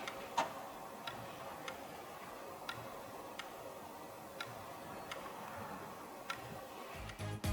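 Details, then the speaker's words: Laptop (quality test, unit 2) hinge gives sharp irregular clicks as the lid moves, a slight abnormal noise that persists after opening and closing several times. "Unidad 2: El eje tiene un ligero ruido anómalo que no desaparece después de abrir y cerrar varias veces."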